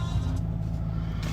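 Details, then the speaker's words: 2016 Nissan Navara 2.3 dCi 190 Tekna auto, 93,000 miles, full Nissan service history: starts straight away into a steady even low diesel rumble, no knocks, rattles or smoke; normal diesel idle. "Does start straight away, there's no issues, there's no nasty noises, no smoke, everything's spot on really."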